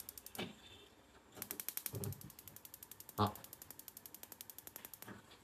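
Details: Shuaikang gas stove, after repairing the rusted, broken battery-box contact and adjusting air shutter and burner cap: rapid even spark ticks about eight a second with a soft whoosh as the burner lights; igniter working normally.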